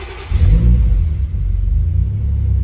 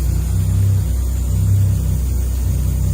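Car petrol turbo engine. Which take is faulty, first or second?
second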